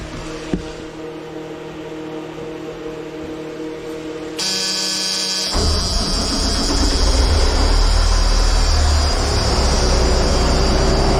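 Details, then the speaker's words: 5-ton 6x6 army dump truck converted from 24 V to 12 V, cranked on new batteries replacing 2018 ones, 14.1 V: a strong, fast, even starter churn catches into a loud diesel run; cranks hard, starts healthy. "There you have it. Hopefully you could hear it. It cranked really hard."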